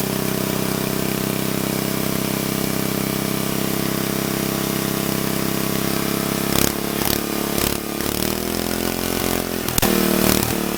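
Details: Old Troy-Bilt Horse I tiller, single-cylinder, after valve cleaning, a new plug and a replacement carburetor: steady idle hum broken by several sharp irregular pops in the last few seconds. It still backfires but sounds better; the cause is unconfirmed.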